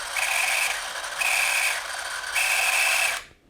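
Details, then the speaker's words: Eumig 128 XL cine camera in for maintenance, drive running at 36 fps before disassembly, producing a squeak that is only slight at 18 fps. Three short runs of whirring, each carrying a steady high-pitched squeal; drive squeak from lack of lubrication. "в 36 кадров в секунду, появляется скрип, или, скорее , звук, похожий на этот."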